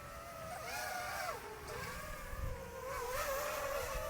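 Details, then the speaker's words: DJI FPV drone with Pyrodrone DroneTech aftermarket props, flying over water: smooth propeller whine rising and falling with throttle, no vibration or buzzing; props running clean. "all right so this one i don't have any problems with this these are actually great"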